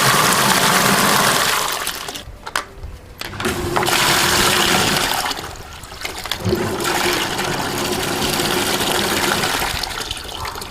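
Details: Pedrollo submersible pump for very dirty water, started by lifting its float switch, runs with a steady motor hum and rushing, splashing water discharge; it is working normally.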